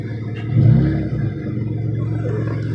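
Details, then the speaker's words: Car with a homemade exhaust pieced together without a welder, using JB Weld: a throttle blip gives a raspy, uneven, flat rumble, as the leaking joints spoil the note. Rough exhaust note from the leaking homemade exhaust. "The exhaust is really rat roddy right now, so that's why it sounds like shit. I will admit it. It sounds like shit. But I put the exhaust together myself without a welder and some JB weld, so that should say enough."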